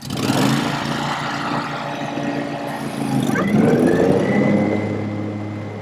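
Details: Older Scag Turf Tiger mower just fitted with an Ogura soft-start clutch module, first start after install: steady engine note, then the blades spin up with a smoothly rising whine and no harsh bang; way smoother than before.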